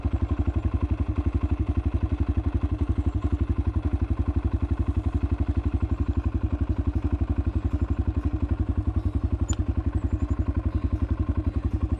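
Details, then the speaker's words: 2018 Kawasaki KLX140L pit bike, cold start on choke after finishing the build and dialing it in: steady, even thumping fast idle about four beats a second, no smoke, no ticking or knocks; normal healthy idle. "Oh yeah. That's what I like to see. No smoke. no ticking. Sounds good."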